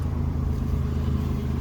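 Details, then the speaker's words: 1999 Ford Explorer Sport, 250,000 miles, first start after replacing fuel pump/sender through top access hatch; fired up quicker than expected, low even idle rumble, no misses or knocks, running normally. "okay that's promising it actually fired up a lot quicker than I thought it was going to"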